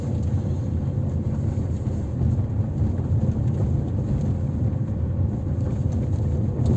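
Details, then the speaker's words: Suspension check on a 2008 Mazda 6, 103 kW diesel, manual, 247,000 km: test drive over a rough road. Only a steady low road rumble, with no clunks or knocks from the running gear. Normal suspension. "Järgmine standardprotseduur, proovisõit kehval teel ja kõigil on võimalik kuulata, kas veermikust kostub mingeid hääli."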